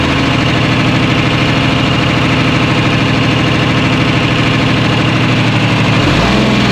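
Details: 1975 International Loadstar 1850, Detroit 6V53 two-stroke diesel, first run after fuel lines found loose and tank empty; lumpy beat with dropped pulses at idle and revving, clear misfire. Owner suspects air in fuel, unconfirmed; oil pressure about 65 psi, no coolant.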